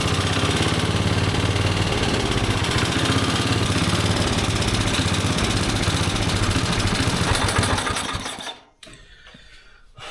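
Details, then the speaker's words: Carbureted engine not run in an estimated 20–25 years, during fuel mixture tuning: fast, uneven chug for about eight seconds, then bogs and dies; the closed choke is choking out the carburetor. "Okay. So, the problem that we're having is that the choke when it's closed is obviously choking out the carburetor and"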